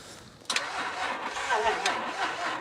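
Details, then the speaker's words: L320 Range Rover Sport diesel, bought cheap as non-runner: sluggish uneven cranking for a couple of seconds with no firing; holding compression but battery too weak, jump pack needed. "Ah, it's holding compression there, though, isn't it? >> Yeah, that battery's a bit shagged. Let me go and get the jump pack."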